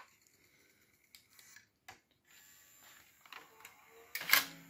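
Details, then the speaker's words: AppleCD SC Plus external SCSI CD-ROM after recapping and restoration, eject pressed on its separate button board. Quiet clicks, short motor whir, firm clack as the tray ejects; loading and eject motors run smoothly, electrically fine. "and it works beautifully so it seems to be okay at least electrically or it looks fine you know the motors are running the loading and ejecting"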